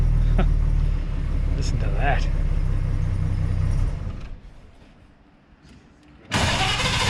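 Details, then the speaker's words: 1933 Hudson Terraplane six running: soft, even low rumble with steady beat, no misses, ticks or rattles, only fan belt or fan wind audible; runs smoothly. "beautiful it's just there's not a a tick a rattle or anything I think you can just hear the fan belt going around or the wind from the fan"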